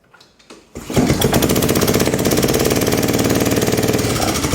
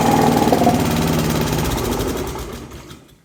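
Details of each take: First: Pubert wheeled brush cutter with Honda GCV160 engine, low power and stalling under load: busy, uneven rapid clatter over the small single's running note; excessive valve lash from a broken exhaust valve rocker arm. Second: Honda GCV160 engine on a Pubert wheeled brushcutter, after repairing a broken exhaust valve rocker arm that caused lack of power: even smooth single-cylinder beat with no ticking, then wind-down at shutoff; now sounds normal.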